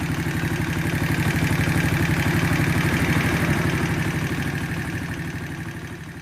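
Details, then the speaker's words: Shineray 50cc motorcycle engine idling quiet and smooth after the cam chain was replaced, earlier knocking suspected from cam chain: small single ticks over at a steady even beat, about four firings a second, no rattle; normal idle. "é isso galera aqui nós motorzinho dela da tá bem caladinho"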